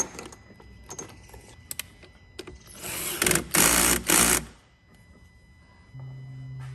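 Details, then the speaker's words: 2016 Ford Everest 3.2 diesel, 215,000 km, after intake manifold removal and carbon cleaning, battery reconnected with key in ignition: quiet clicks, then second-long motor whirrs and a low hum; actuators whirring at key-on, normal. "Now I had the key in the ignition when I reconnected the battery, so that's probably why it all started whirring."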